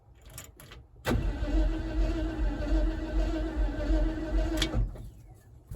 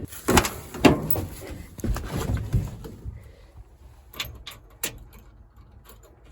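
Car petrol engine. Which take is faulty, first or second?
first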